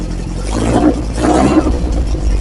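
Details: Freshly refreshed Lotus Esprit engine revving while still cold (about 30–40°C): revs rise and fall smoothly and crisply, with no knocks, ticks or misfires in the roar. Healthy.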